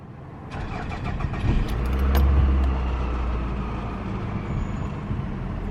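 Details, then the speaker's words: Copart beater car, jump-started after not starting on its own: cranks briefly, catches cleanly and settles into a steady, even idle with no knocks or misses; engine sounds healthy. "let's clear this trip sounds like it's running pretty good"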